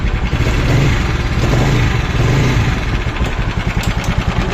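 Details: TVS Apache 200cc single-cylinder bike, old rocker: idling and blipping with a rough, uneven beat and an extra clatter riding on the exhaust pulses, source unclear; abnormal engine noise at idle and revving.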